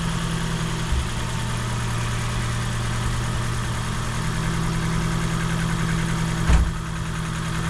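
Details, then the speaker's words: Ford Fiesta Mk7 1.25 with swapped-in replacement engine after flood damage, started briefly with no coolant: smooth, steady idle with an even low hum and no ticking or missing; a warning light on, owner thinks it's nothing bad. "oh engines running right suppose it's scripting in it i bag lights on some reason but that's probably nothing bad but seems to be running fine"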